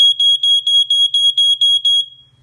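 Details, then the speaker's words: Ventek/Visual Alert FA100 smoke alarm/strobe from the early 1990s, just plugged in: about nine shrill beeps roughly four a second, then the horn cuts out. It keeps sounding, flashing and stopping for an unknown reason. "like just sounds and flashes and the stops sounds flashes and stops"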